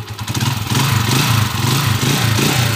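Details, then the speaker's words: Honda TMX155 single-cylinder motorcycle after repair with original connecting rod, two bearings, new timing gear, cam follower and push rod: even low thump with no clatter or knock, normal smooth running. "push Rod Okay na napakaganda ng andar"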